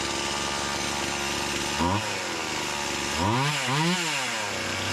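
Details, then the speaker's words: Stihl MS170 with Amazon replacement motor, after swapping the Holzfforma carb for a brand-new stock OEM Stihl carburetor: two crisp rev-ups and drops, no bogging or sputter; owner says it woke it up; normal running. "it sounds like it woke it up more though to be honest just putting that steel carburetor on that that stock OEM brand new steel carburetor on compared to the Hall's fora"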